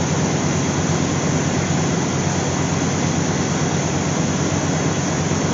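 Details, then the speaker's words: Old Dodge truck after fuel pump replacement, fuel pressure now about 50 lb: steady, even engine note with strong low rumble, no misses or knocks, with a slight squeak; runs healthy. "listen to that woo 50 lb yes that's a lot all right got that squeak just like my Dodge"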